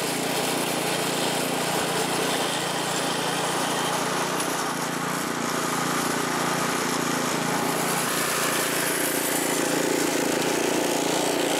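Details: California Trimmer reel mower, small single-cylinder engine, mowing dead grass after repair and carburetor mixture fine-tuned an eighth to a quarter turn to stop surging; steady even drone with reel whir, no hunting or surging; running healthy under load.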